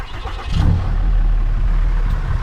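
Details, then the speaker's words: 2018 Ram 6.7 Cummins diesel after fuel filter change, lift pump primed three times: brief crank, catches quickly, settles into steady low clatter without stumbling or missing; clean start, running smooth. "and it started right up [Applause] so so far so good seems to be running relatively smooth as of right now"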